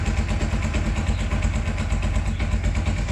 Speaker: Sí definitivamente si se le quitó pero vamos a esperar a que trabaje el aceite que lubrique ahorita nos un minuto no pero sí Qué diferencia no se escucha